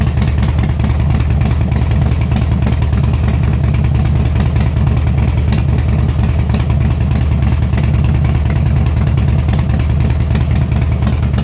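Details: Harley-Davidson FXSTDSE2 V-twin with a hissing fuel pump; steady low idle with a loose, uneven beat and occasional skips, hard starting and missing at steady throttle, fuel-side cause unconfirmed.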